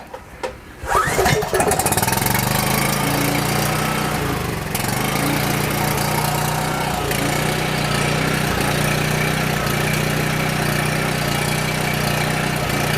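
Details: Coleman Powermate 6560 generator after carb rebuild: catches after a few pulls and runs steady but slightly uneven only with full choke; half choke fails; low power output reported.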